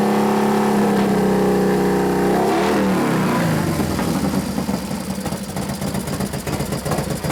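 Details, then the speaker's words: 1993 Harley FXR Evolution 89ci stroker, new build first start-up: rev falls into a lumpy but regular potato-potato idle, firing even and clean with no knocks, sounds pretty damn good; normal idle despite intermittent starter fault (suspected relay) and slightly foamy oil. "on sounds pretty damn good T"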